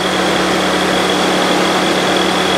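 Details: Nissan idling with the coolant temp sensor unplugged to simulate a cold start: steady idle with a constant high whine and even hiss. Diagnosed as a worn timing chain and non-functioning cam phaser caused by neglected oil changes.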